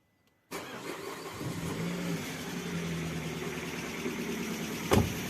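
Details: 2006 Citroën C5 1.8 petrol 125 hp: engine starts and idles with a steady low whirring hum from timing cover area; cause found to be the water pump (A/C compressor bearing also worn but not the cause).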